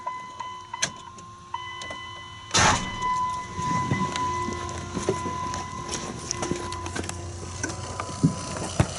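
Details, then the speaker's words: 2001 Dodge Ram 2500 Cummins turbo diesel, fuel filter change with bowl drained: steady electric hum of the fuel lift pump priming under clicks and handling noise; pump working normally. "a lot of people find out that they have a dead pump when they go to uh to do this job they go ahead and drain the bowl and you need to do this at least four times I'm going to say if you're pump's good"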